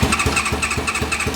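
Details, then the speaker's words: Motorbike-engine-swapped Reliant on new battery, on choke: starter churns in quick regular chuffs about four a second, engine never catches; cranks but won't start, owner 99% sure it ran out of fuel. "yeah I'm 99% sure I've run out"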